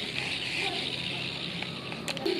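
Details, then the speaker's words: Economical spinning fishing reel, after disassembly and roller bearing check, hand-spun: loud, rough, hissy whirr, still noisy; worn bearing grinding, to be replaced with a newly bought bearing. "jadi kedengarannya juga masih berisik ya jadi saya akan coba ganti dengan jaringan baru yang baru saya beli"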